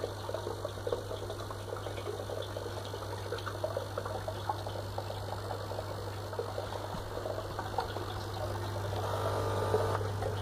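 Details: FX6 aquarium filter pump giving a steady low electrical buzz under a soft trickle of water, while the filter still works perfectly.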